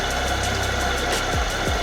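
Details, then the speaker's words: Cheap 12V Amazon diesel heater, about 2.5–3 years old, used in a school bus conversion and likely abused during construction: a steady fan and burner roar with loose clattering and irregular knocks. Something inside is rattling; it was cleaned and still rattles. Cause unconfirmed. "this one sounds like there's like things rattling around and I've taken I've looked at it taken it apart like tried to clean it"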